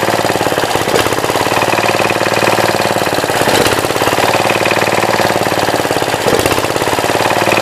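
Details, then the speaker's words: 1966 Gravely C10 single-cylinder after a no-spark fix using a temporary battery coil in place of the old coil that arced: even, rapid chugging at steady speed with no misses or knocks. Running healthy. "This thing starts fairly easily, especially with a battery coil now."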